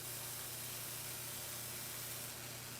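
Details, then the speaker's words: Slayer exciter Tesla coil driven by a bigger NPN power transistor from a bench supply around 20 V with raised current limit: steady hiss over low mains hum from around the power supply; the transistor then fried. "there was hissing coming from around the power supply so um i'm not very keen on frying my power supply"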